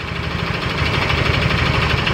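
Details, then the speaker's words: Yamaha Mio Soul GT 125 automatic scooter idling after another shop worked on the block and cylinder head and replaced the reed valves; fast, loose metallic rattle over the idle beat, engine tends to stall. "kita hidupkan dulu motornya ini suaranya kemerizik sekali sobat"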